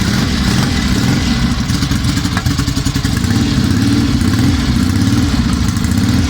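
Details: 1963 Norton SS 650 twin at its first start after a complete rebuild and restoration, fed by a makeshift fuel system with year-old fuel: lively fast-idle beat, firing evenly with light mechanical clatter; normal running.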